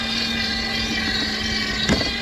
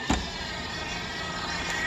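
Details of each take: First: Dolphin S300i pool cleaner after impeller cleaning: steady motor whir with a sharp click every couple of seconds as the drive belt skips teeth; gears not skipping, tightening the belt stops it, tracks may be worn. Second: Dolphin S300i pool cleaner on self-test after the impeller was cleaned: steady, even impeller motor whir with light clicks and no grinding; the drive on one side sounds like a skipping belt and its gears are worn.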